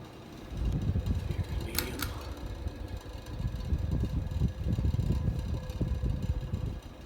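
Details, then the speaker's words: 1984 Ritz 42-inch ceiling fan on high speed: low, uneven rumbling drone with irregular rattly pulses as it settles to speed; worn-out bearings causing the noise, shaking much reduced from before. "It'll calm down there in just a second. Bearings are worn out in it too. That's the noise you're hearing right now."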